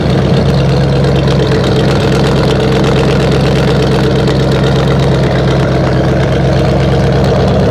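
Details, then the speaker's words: 1968 Buick LeSabre, all-Buick V8 power, after engine repair (previously no oil pressure, leaking head gaskets), warmed up around 190°; deep even idle, smooth regular rumble, no tapping or misses; owner says it sounds pretty damn good, healthy. "let me tell you it's sounded pretty damn good this is all Buick power I like it I like the way she sounds"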